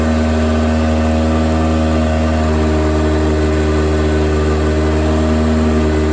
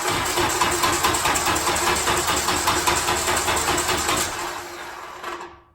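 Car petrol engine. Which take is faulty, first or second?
second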